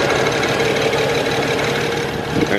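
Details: BMW 335i N54, tuned: uneven, lumpy idle with recurring skip after 4,000 rpm run, one cylinder constantly misfiring with injector shut off for protection, exhaust pipe shaking.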